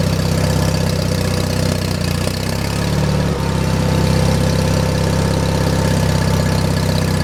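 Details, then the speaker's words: John Deere 316 lawn tractor, about 36°F cold day: heavy, uneven low chugging stumbles midway then recovers; owner suspects clogged carburetor idle circuit jet, needing hand choke, maybe just cold. Rough idle, cause unconfirmed. "I think the idle circuit jet is clogged up in that thing so I"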